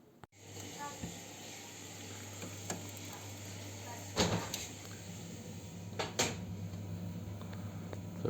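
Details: Gas water heater (boiler) heat exchanger clogged with scale, heating water poorly: steady low hum with constant hiss; flushed with citric acid.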